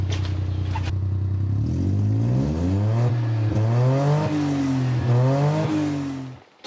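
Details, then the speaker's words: 1990 JDM Suzuki Carry 4WD kei truck after timing belt and water pump work; small engine blipped through several revs with a booming, droning note rising and falling with speed, far too loud. "let's start off real quick so you can kind of get an idea how loud it"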